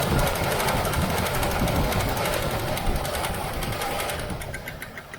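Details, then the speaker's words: 1978 Chevrolet El Camino SS V8 first started after sitting about 20 years, with a little gas added and a sticking starter: light quick ticking over a rough idle, likely lifters short of oil; it may quiet once the oil builds up. "little lifter noise on the other side we'll see if that comes down once the oil builds up"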